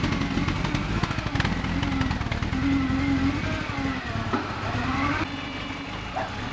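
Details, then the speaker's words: Supercharged Mini Cooper back together after water pump and cooler line work, coolant bleed plug out, misfiring with codes: an uneven, lumpy, stumbling idle with a wandering hum. A vacuum leak or throttle body is suspected. "Because I think it sounds like a vacuum leak. Yeah, I'm gonna leave that so I can, because I have this plug out for burping it. I'm gonna start it, even though it runs like crap."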